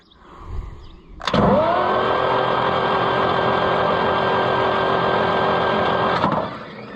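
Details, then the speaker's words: Oliver 1355 tractor diesel, head off and injectors pulled, after freeing the engine and getting the starter working: starter spins it over freely at a steady even rate about five seconds, clean whirr, no binding; normal cranking. "We got an engine that turns now, see? We've got a starter that works now, see?"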